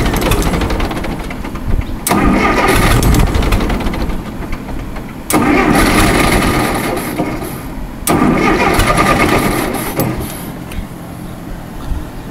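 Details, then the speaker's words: Allis-Chalmers 170 tractor, run after sitting two years, with cleaned and rebuilt carburetor, new plugs and coil: three cranking bursts, each catching briefly then dying. It won't stay running; owner suspects it is out of gas, a carburetor problem, or wiring. "then it'll cut out immediately either wiring or it's gas so it might be gas"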